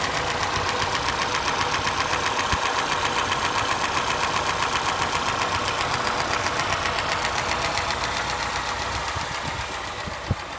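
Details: Lada Niva engine at steady idle: sharp, regular tapping knock about four per second; source not evident.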